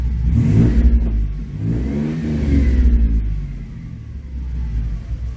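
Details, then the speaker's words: 1997 Mustang with a swapped-in 3.8 V6 of about 145,000 miles, running strong: several clean throttle blips, pitch climbing and falling smoothly with no knocks or stumbles, healthy free-revving engine before a planned 4.6 swap. "So, now we're hearing we're hearing what it sounds like with a 3.8."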